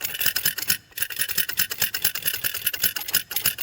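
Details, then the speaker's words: XC 700 snowmobile that sat in a barn for years: working the throttle on the flat-slide carbs gives quick bursts of light metallic rattle, normal slide play, though the owner may still investigate what is jiggling inside. "These are flat slides, and hitting the throttle there, we're getting a bit of a rattle."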